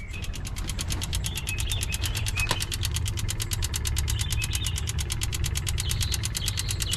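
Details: 2002 Honda Accord coupe V6 after timing belt, water pump and radiator replacement, failing to start: rapid, even clicking of about seven a second over a low rumble. Owner wonders about a bad main relay; cause unclear.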